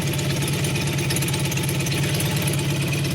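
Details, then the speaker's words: 1988 Honda VF750C Super Magna idling with a newly installed Marving custom exhaust. It has a steady, even, deep low burble with no puffing or ticking from the pipes, a healthy leak-free exhaust note. "It's got a nice deep sound to it"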